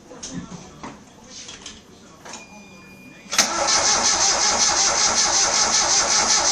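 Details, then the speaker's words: 1993 Geo Metro 3-cylinder 5-speed, first start after tune parts fitted: fires after cranking, fast sharp lifter clatter; plugged hydraulic lifter starved of oil had killed a cylinder, expected to quiet in 15-20 minutes warm. "As it warms up, the liquors are going to pump up. All the cylinders are going to come online. Motor's going to get quiet."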